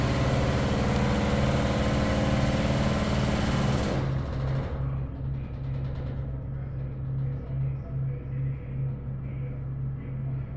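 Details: Broan bathroom exhaust fan: a steady low drone with a buzzy, pulsing rattle. The fan vibrates the whole ceiling, rattling the drop-ceiling fluorescent light covers; the fan itself is not the source.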